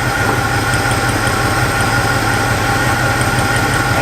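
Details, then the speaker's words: Abandoned Pontiac Catalina V8 revived, cylinders checked one by one: lumpy, uneven idle with irregular stumble, one cylinder dead; misfire from a loose spark plug that was completely fouled/clogged. "it's that guy yeah I'm not doing anything that is the last one on this side naturally just that one spk plug is not even tight"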